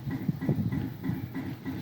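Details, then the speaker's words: Pellet smoker grill (Smoke-N-Seer) burn pot, temperature climbing fast with stock controller: low pulsing thump about four times a second in a steady pattern; weird mechanical noise of unknown origin, probably not the auger. "listen to this weird noise i have no idea what it's doing"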